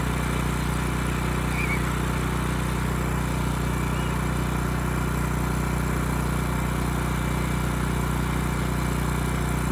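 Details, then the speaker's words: Ridgid generator with Yamaha MZ360 engine, about 10 years old, unused 4 years: even, steady drone at constant speed, no surging; ran well after choke start; adjustment screw nearly out, suspected vacuum leak; throttle plate still binds; normal running. "All right, it ran pretty good. It was a little hard to start, needed choke at first, but this adjustment screw here was turned out all the way."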